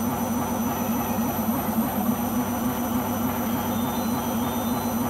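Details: Beko washing machine on its last legs: steady heavy roar with low throbbing hum pulsing about three times a second during spin; owner suspects the rubber behind the drum, cause unconfirmed.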